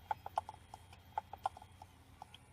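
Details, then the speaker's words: Reassembled bare external hard drive plugged into a computer: sharp irregular clicking several times per second over a faint hum, never spins up ready and is not recognized; head arm mechanical failure suspected. "Hear the little clicky click noise? Because it has a mechanical problem with that arm."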